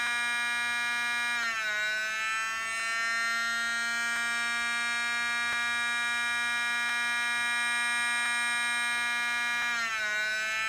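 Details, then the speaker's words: DLP rear projection TV color wheel after reinstalling: a high whine with stacked tones that drops, settles and shifts, worse than before. The motor is not regulating its speed; a faulty light sensor is suspected. "nope that sounds worse than it did before it seems to be having problems uh regulating the speed as"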